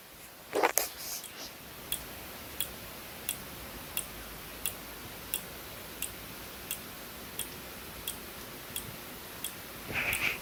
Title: Synology DS115 clicking sound defect Audio boosted